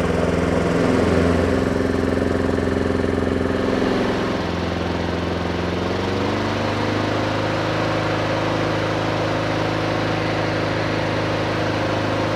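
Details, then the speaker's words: Neglected Honda Harmony II HRS216 mower after carburetor service and tune-up, started on choke: steady even drone shifting pitch smoothly as choke comes off, then holding without misses or knocks; healthy. "Oh, bật nhiên liệu trở lại. Âm thanh hơi yếu nhưng kéo đầu tiên không tệ."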